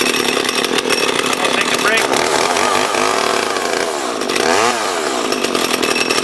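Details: Small junk-haul chainsaw being revived, chain brake now working but owner suspects the oiler isn't delivering oil: revs up and down cleanly with a steady, crisp buzz climbing and dropping with throttle; running normally.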